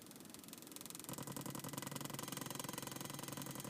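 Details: 2000 Honda Civic, Tunelink Auto Bluetooth receiver wired via aux to stereo and powered from spliced cigarette-lighter wiring; with engine running, popping/ticking white noise tracks rpm; owner suspects bad ground or alternator voltage, cable and unit ruled out.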